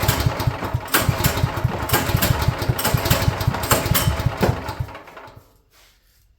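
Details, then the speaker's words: Champion generator sat a couple of years, first start attempt at half choke: uneven bursts of firing about three a second that stumble and die; very flooded, owner suspects bad spark plug or bad, green-looking gas. "Let's pull Okay, I guess it's getting fuel. It's like it was very flooded out."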